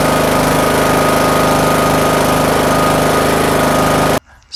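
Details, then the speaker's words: Riding lawn tractor single-cylinder after bypassing a fuel shut-off solenoid stuck closed that stopped it starting: steady, even chug for several seconds, then abrupt shutoff; normal running. "i am glad that trick worked i hope it helps you out if you happen to have the same problem and you're in a pinch and you just need to get your lawn tractor back up and running"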